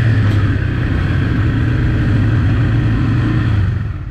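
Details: Yamaha TT-R 125 single-cylinder on a test ride: smooth, clean revving that pulls evenly with no stumble before easing off. Runs well, clutch and brakes work, but it may need front pads, a choke cable, and a leak checked.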